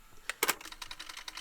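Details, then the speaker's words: Denon DRM-650S cassette deck playing after long disuse: quick run of sharp dry clicks with faint squeaky chatter from the transport; mechanism binding, owner unsure whether belts or dried lubricant are to blame. "The squeaking and the clicking. I don't know if it is actually a belt issue or whether it's just because it hasn't been used for ages. It's making all these like horrible noises."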